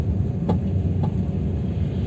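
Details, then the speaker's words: Chevrolet Aveo T300 driven over small bumps, fine on smooth asphalt: sharp knocks from the rear over road rumble. The rear left shock absorber had come loose and wobbles by hand. "чуть малейшая кочка стучит. Сначала думал, что что-то в багажнике. В багажнике все перетряхнул. И сейчас мне кажется, что открутилась задняя левая стойка."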